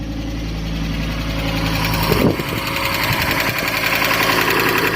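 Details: Neglected Fiat Stilo Abarth petrol engine, long stood still, just restarted after plugs and coils refitted, warming up at idle with engine fault still showing: light quick ticking about three to four per second; valvetrain tick of unclear cause.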